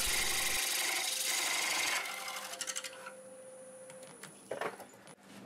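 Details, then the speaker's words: Woodturning lathe, new ring cutter parting rings from a bowl-from-a-board blank (jarrah and basswood): steady raspy cutting hiss that thins abruptly as the cutter nears breaking through, the cue to ease pressure; normal cutting. "so we're ready to cut right before the tool cuts through you can hear a sound change that's when i use less cutting pressure"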